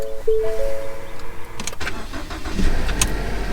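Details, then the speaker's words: Stolen, recovered 2014 Ford Fusion after new ignition switch and barrel and reseating negative battery cable, sat for months: short tone, couple of cranking thumps, then catches to low steady rumble; normal start. "runs yay oh my gosh it's been a couple weeks trying to get this on"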